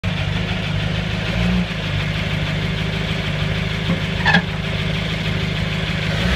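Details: 1950 Buick engine idling: steady low drone with occasional faint clicks and a brief scrape; grinding-clicking noise of unknown origin.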